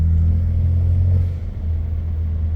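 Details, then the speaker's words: BMW 335i N54 twin-turbo after ARM relocated inlets and 3-inch catless downpipes, stage 2 tune with wastegate rattle compensation at 10%: steady, smooth drone, wastegate rattle gone. "Sounds really good. Sounds really smooth."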